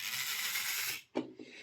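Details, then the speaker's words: Jouef HO scale Class 21/29 model locomotive motor: dry high-pitched rasping grind then clunk as the worm gear binds, having ground brass dust off the gear; washer fitted to raise gear, lubrication improves running. "There's an awful lot of brass dust, and that's just where this worm gear has been grinding this gear down."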